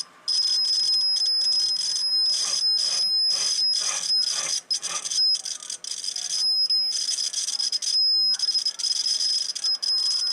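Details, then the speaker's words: Homebuilt T-match tuner: the continuity buzz cuts out and stutters as the roller moves along the roller inductor. The coil and roller rod are dirty and need cleaning. "you notice it more scratching us in the Demeter the coil definitely need to be cleaned there's no doubt about that"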